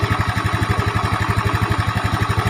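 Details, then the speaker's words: Yamaha Mio Smile with valves already adjusted, idling fast and even: a light, steady ticking rattle in step with the engine from a worn, stretched cam chain, to be replaced with a 90-link Honda cam chain. "Kami sudah menyetel klep sebelumnya, dan kami ingin langsung ke intinya: masalah pada motor ini adalah suara rantai kam."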